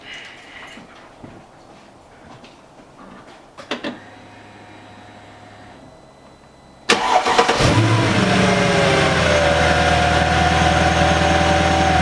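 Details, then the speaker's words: Mercedes C55 AMG, M113 V8, start right after replacing failed crankshaft position sensor, before warm-up: brief crank, clean catch, steady even idle with no misfire or stumble; normal start and idle; sensor faults often appear only when hot. "Get it up to temperature, and then we'll see if anything weird happens, because like I said earlier, a lot of the times issues with the crank position sensor won't actually occur until the car is hot and warmed up."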